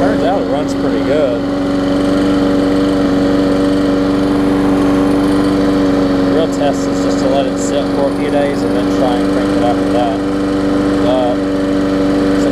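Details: Bolens walk-behind mower: a steady, even single-cylinder drone holds one pitch with no misses or surging, running smoothly.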